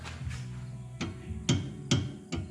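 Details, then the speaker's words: 2007 Mustang track car, driver-side rear sway bar rocked by hand: four dull hollow clunks about half a second apart; worn or loose sway bar end link, possibly just not tightened, to be checked. "there's my clunk so i'm gonna have to pull the wheel off figure out exactly what it is something in the end link maybe the end link itself"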